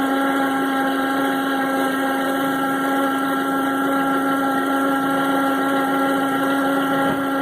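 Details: 2009 Toyota RAV4 at idle: constant mid-pitched whirring whine from the front accessories; owner suspects failing internals (diodes, brushes) of the Denso 210-0722 alternator, unconfirmed.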